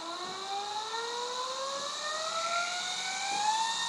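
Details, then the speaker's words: DC motor on a homemade PWM regulator running from a battery, speed raised from minimum to full, about 0.8 A at full: a clean whine climbs smoothly in pitch with no grinding or rattle, a normal speed ramp. "vemos que el motor regula también con batería muy lento muy lento así más más subiendo"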